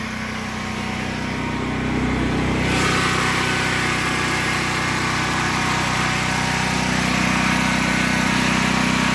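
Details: Predator 8750 generator in a shed, over 2 years old, just before fuel shutoff and shutdown: steady, even engine drone, no knocks or surging; normal running.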